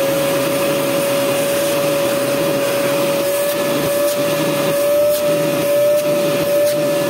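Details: Home Maker EV-800-S16 vacuum cleaner, after replacing the noisy motor's 608Z bearing: smooth, even motor whine holding one steady pitch with no rattle or grinding; the motor runs healthy.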